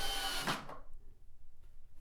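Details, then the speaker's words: Cordless drill with clutch set to 6 driving a screw into wood without a pilot hole: short steady whir, no clutch-slip clicking, screw driven fully home; normal operation. "and that was enough torque to drive the screw all the way in"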